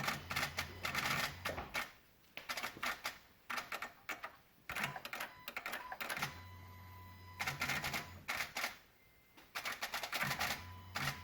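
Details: 2016 Honda Odyssey, engine off: rapid bursts of dry clicking a second or two long from near the PCM and VSA control module, with Engine, VSA, LDW and FCW warning lights on; cause unknown.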